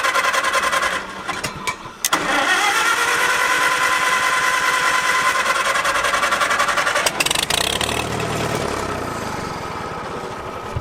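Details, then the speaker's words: Revived abandoned Farmall H tractor stalled on the road: the starter churns with a steady chug about three beats a second but it never catches. It is not getting fuel, and the tractor's own fuel tank is judged inadequate. "not getting any fuel all right well there's an auxiliary fuel tank sitting right inside the door at home we drive all the way back over there and grab that this fuel tank clearly is not going to do it"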